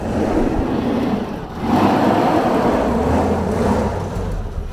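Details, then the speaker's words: Old 4x4 manual truck (thought to be 4-speed), sitting since 1996 with gas in the tank from 1996, cranks right up after a leak is tightened: uneven, rough-edged rumble with a light rev but keeps running; sounds pretty good. "I'd say that sounds pretty good. It's 96. So this thing's been sitting since 1996."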